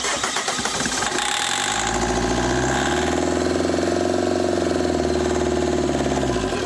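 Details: Opel Vectra C Z19DTH diesel, engine rebuilt but would not start: catches on starting aid and runs rough and lumpy for a few seconds.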